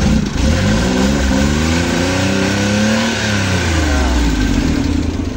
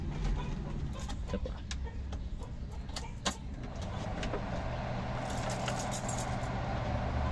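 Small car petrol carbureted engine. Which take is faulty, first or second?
second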